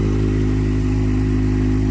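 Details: Normal idle on a Kawasaki Z750 after replacing the four exhaust header gaskets that caused a valve-like ticking: steady, even idle with a smooth low beat and no tapping; a fault code 67 appeared afterward, suspected lambda sensor.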